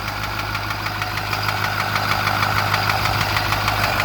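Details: 2008 Ford F550 6.4 diesel at idle: steady sharp knock about three times a second over low drone, seemingly from passenger side behind the turbo; engine doesn't skip or run badly.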